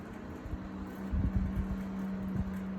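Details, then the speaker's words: Home HVAC duct feeding a casita room via thermostat-controlled damper: steady drone with buzzy vibration and irregular thumps; inspector suspects a fan rubbing slightly, not confirmed. "the one thing that we noticed is that this duct is a little noisy do you the vibration here"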